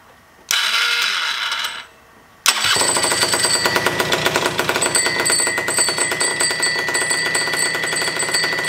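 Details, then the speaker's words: First start of a rebuilt two-stroke scooter engine (old parts reused): short burst, pause, then a fast, even buzz with steady rattling beat, idling cleanly without knocking; fuel leaking, apparently from the carb bottom nut, otherwise normal running. "cool well it's leaking fuel again so that's good but other than that sounds good"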